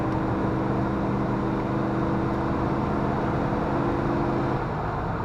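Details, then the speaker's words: 1994 Dodge Dakota 5.2 V8 after fuel injector replacement, hard acceleration spinning wheels; steady even roar, no knock or misfire; pulls cleanly. "Feels just fine. Accelerates nicely. Sounds good."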